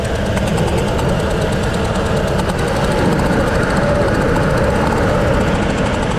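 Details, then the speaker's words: 2005 Ford Expedition 4.6L V8 (possibly 5.4L), over 200K miles, cylinder 7 blew out its spark plug and threads, coil unplugged: sharp rapid puffing chuff on every firing over the idle as compression escapes. "I'm gonna crank it so you guys at least can see what I mean about what it's doing all right this is bus blowing out of that that cylinder"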